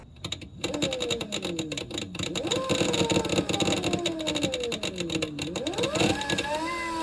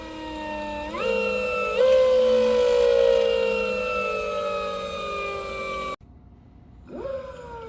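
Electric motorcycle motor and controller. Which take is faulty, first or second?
first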